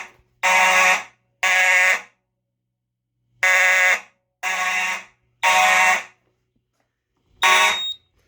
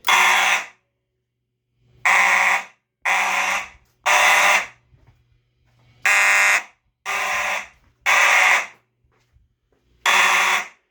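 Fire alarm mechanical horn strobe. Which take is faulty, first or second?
second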